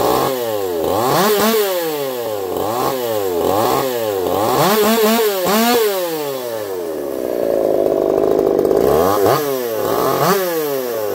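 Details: Echo CS-4910 chainsaw with taper-top piston/crank swap, test cuts: repeated clean rev sweeps, then steady bog under cutting load, crisp and even; zero vibration felt; runs a little warm, about 180 psi cold, 170 warm; normal running under load.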